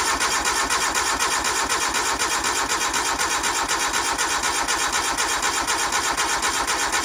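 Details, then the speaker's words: 1988 Suzuki Samurai parked since the late 1990s, cranked without starting fluid: starter cranks steadily at about two even beats per second but never catches; no fuel reaching the carburetor. "but that's fine, it didn't fire. Let's see if we're getting fuel up here. Alright, getting no fuel."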